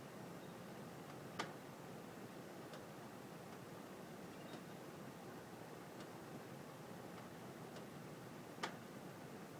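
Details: Quiet room: two sharp pops among fainter ticks from heating ducts, a second or two apart. The gap between louder pops lengthens by about 1–2 seconds each time; owner doubts simple expansion/contraction. Cause unknown.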